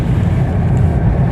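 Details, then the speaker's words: Toyota Corolla driven on a rough road after a steering rack repair without replacing the rack (worn bushes replaced, ball joints and rack plunger adjusted): only a low, steady road rumble with no clunks or rattles from the front. No rack knock. "അപ്പോൾ നമ്മളിപ്പോൾ rough റോഡിൽ ഓടിച്ചു കൊടുക്കുന്നത്. ഇപ്പോൾ സൗണ്ടൊന്നും അങ്ങനെ കാര്യമായിട്ട് കേൾക്കണില്ല."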